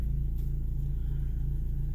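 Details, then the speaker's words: 2010 Ford Focus 2.0 after the transmission mount (and strut mount) was replaced, heard from inside the cabin: a smooth, steady low idle rumble with an even pulse and no shaking thumps, vibration much reduced, and a socket now stays on the steering wheel. "all right so here we are with the transmission mount changed and it significantly reduced the vibration"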